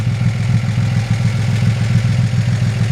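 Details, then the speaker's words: 1941 Chevrolet Business Coupe, likely newer mid-1950s 235 six, one muffler holed, dual exhaust, oil pressure up: even, steady idle with soft regular pulses, no knocks, ticks or misses; runs perfect, normal idle. "It sounds like it runs perfect. It runs down the road with a good strength."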